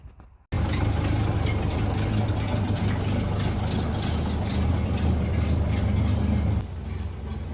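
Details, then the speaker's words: 1930 Model A Ford barn find, stored 45 years, with the muffler and exhaust just fitted using a single rear clamp; a low, even idle with a soft, steady exhaust beat and no blowing or rasping. The exhaust is sealed and much quieter. "it's a lot quieter now nice exhaust on it looking good sounds good quiet"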